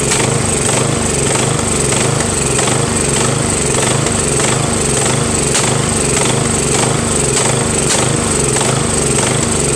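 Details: Craftsman 13.5HP mid-engine riding mower with a replacement single-cylinder engine, new starter, battery and key. It runs rough with an uneven, lumpy beat, surging, and sharp backfire pops, sounding worse than before. Cause undetermined.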